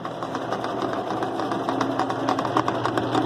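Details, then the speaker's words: Whirlpool direct-drive washer 7MLSQ8545PT0 in spin mode after fitting a new motor and capacitor and splicing the red-red and orange-orange wires to cure a buzzing no-start. An even motor hum with a light regular patter, no strain or buzz; it runs normally. "Te voy a enseñar Cómo ver cómo funciona la lavadora Ya le puse en modo Sprint negro voy a poner Spin Wow funcionó funcionó maravilla esta lavadora"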